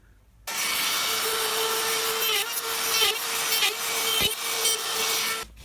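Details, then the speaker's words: Router cutting half-blind dovetails in a jig after the depth was adjusted from too shallow (about 1/8 in): steady high whine with a light, even cutting hiss, a shallow pass only nibbling wood at the back; normal cut. "That sounded okay. It was only cutting at the back here, so which means it was only nibbling away wood, you know, to affect the depth of the cut."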